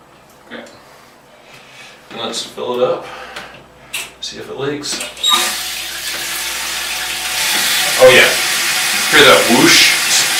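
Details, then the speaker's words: Toilet after replacing the fill valve, supply valve opened fully; after handling clicks a steady full water rush fills the tank fast with no whistle or squeal; normal fill valve filling. "of the whistle and the Tank's filling up nice and fast the B's filling up nice and fast"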